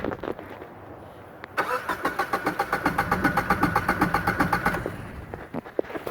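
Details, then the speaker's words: 1994 Geo Metro three-cylinder with a timing belt, not running, suspected fuel problem: it cranks at a steady pace with about four even pulses a second and no dead spots. Even cranking compression; timing belt likely intact. "that sounds pretty even there's no doesn't think there's any dead spots it's not going super fast or super slow so it sounds like maybe the timing belts still hooked up to it"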